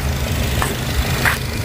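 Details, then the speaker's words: Used car being checked before purchase, just started: short steady low idle hum with even rhythm, no stumbles, rattles or irregular gaps; engine idling smoothly. "kita dengarkan suaranya ada suara aneh Enggak harusnya semua mobil mesinnya halus sampai ada suara rek atau dia pincang"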